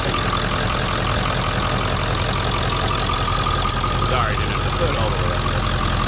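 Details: 1997 Ford F-350 regular cab 4x4 diesel idling parked out front: even diesel clatter at a steady idle with a low rumble underneath and no odd knock or miss; a normal idle.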